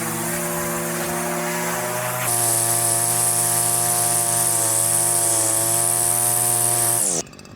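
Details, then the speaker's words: Line trimmer with Arnetoli F-ONE head cutting vertical edges: engine climbs to a high, steady scream, holds evenly under cutting load, then eases off; healthy two-stroke, head feels less vibrating than the previous one. "The head's feeling good though. Um, yeah. I I guess the best advertisement for it is that, yeah, just normal work. It feels feels good. I feel like it is less vibrating than than the other on"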